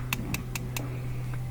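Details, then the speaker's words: Propane grill with the valve opened fully: gas audibly whistles in and four sharp igniter clicks, about five a second, sound over a soft hiss. The burner then lights cleanly with a blue flame: normal ignition. "when you open the valve all the way and you turn on a burner you should be able to hear the gas i can hear it whistling as it comes in so i'm going to ignite it"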